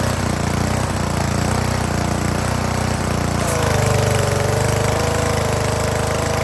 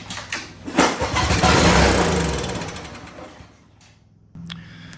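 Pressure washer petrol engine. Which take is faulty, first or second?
second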